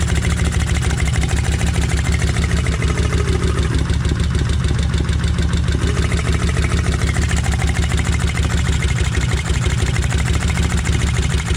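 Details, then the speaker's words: Kawasaki Vulcan 1600 V-twin started cold after sitting overnight, with a cover pulled off. A fast, loud, steady ticking rides over the low thump from the valvetrain (lifters/rocker arms). "crank it then I'm going to pull this cover off that way y'all can hear them uh uh solenoids in there clicking and they are loud"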